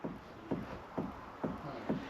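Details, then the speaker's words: Caravan hitch rocked by hand: five dull, evenly spaced clunks about twice a second from play in the hitch damper. It needs more grease in the grease nipples and the damper packed out to take up the play. "that's basically that we just need a bit more grease in our grease nipples there and pack out the hitch damper here."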